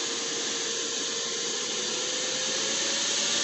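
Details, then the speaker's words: Genetry solar inverter at about 3000–3200 W load with reworked fan settings (175°F shutdown, transformer threshold raised about 5°F): steady, even airy fan rush, no rattle or whine; much quieter fans blowing lukewarm air, normal. "it is much much quieter though it's still doesn't blow super hot air or anything like that it's like lukewarm air and the fans are much much"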